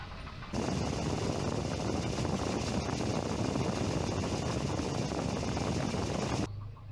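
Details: Volvo 240 with a B230F four-cylinder and LH2.2 ignition, timing found several degrees retarded from the 12° BTDC spec: idle with an uneven, lumpy beat and a slight shake; rough idle from retarded ignition timing, linked to hesitation and power loss.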